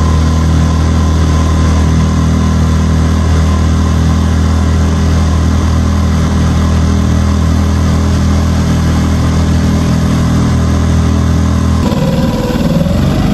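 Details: New Hangkai 6.5 hp four-stroke outboard: even, steady drone at constant pitch for ten seconds, then easing off as throttle drops; running clean and healthy.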